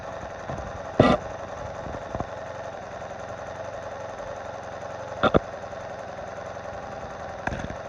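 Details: 1986 Honda Magna idling, microphone brought close to the engine: steady idle with a fast, light ticking; cause unknown.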